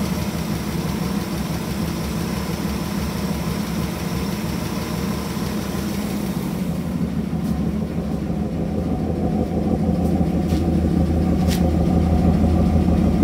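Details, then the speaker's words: Idle right after fitting a new carb and re-dropping the distributor one tooth back, with timing set by ear and no timing light: an uneven lope with occasional soft stumbles. Timing is still slightly off; the owner also wonders about valve seals. "Yeah, it's still off timing a little bit. You can hear it, but it's"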